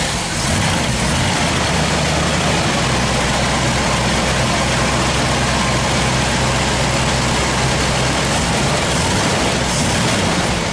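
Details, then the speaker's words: 1964 Chevrolet Impala SS 409 V8 idling in the garage during a wiper fault hunt; the wiper motor apparently not the cause, and a new switch is to be fitted. Deep, steady, even burble with no knocks or misses: normal idle. "Okay. At least it sounds good."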